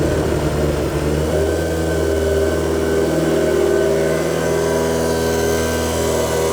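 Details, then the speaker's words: Mitsubishi Eclipse GSX on first start after fuel system upgrade with larger injectors, running on old oil; fast, steady idle that won't settle; owner suspects a vacuum line left off; high idle. "it's idling really high right now I might have left a vacuum line off or something"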